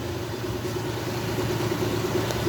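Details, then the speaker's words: Honda 50 hp carburetted outboard (6-valve), carburettors just cleaned after misfiring and stalling on throttle, fuel hose pulled, idling about 1000 rpm, shop fan may add wind noise: low steady even hum, no misses or surges; normal idle. "Şöyle fanımı açayım. Motor çalışıyor. Fanın belki rüzgar sesi gelebilir."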